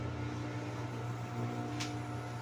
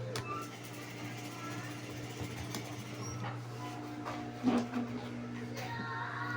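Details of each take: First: Electric fan that hummed but wouldn't spin, after replacing the shaft bushings: steady even motor hum, low drone, no rattle or scraping; runs normally and strongly. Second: Electric fan with seized shaft bushing: steady low electrical hum, blades won't spin unless pushed, shaft tight and rough; weak capacitor also suspected; stalled motor hum, bushing to be replaced.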